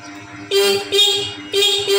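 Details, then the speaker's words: Scooter with a battery not fully charged despite long charging: the horn gives four short, thin, weak toots, and the fuel pump does not hum at key-on. "Di sini untuk klakson lemah Pak, kedengarannya tidak nyaring."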